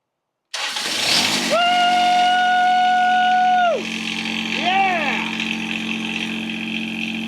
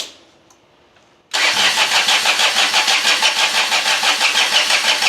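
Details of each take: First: John Deere 455 diesel lawn tractor after installing new glow plugs, new key switch and fuel shut-off valve: starter whirs about two seconds, then the diesel catches cleanly and settles into a steady, even idle. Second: John Deere 455 diesel lawn tractor after fitting a fuel shut-off solenoid: starter churns steadily about three beats a second, smoking, engine never catches, glow plug light off; suspected bad glow plugs, it started earlier when jumped.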